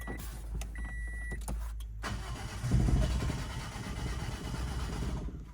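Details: Toyota Ractis 2SZ-FE after a home engine rebuild with new oil and antifreeze, first start attempt with spark plugs connected. Short starter bursts and chirps, then about three seconds of steady cranking with no catch: cranks but does not start.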